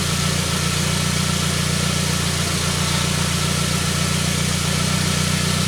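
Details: 1999 Saab 9-3 with crank-no-start complaint, after starting: even, steady idle with smooth low pulse, no misses, knocks or ticks; running cleanly.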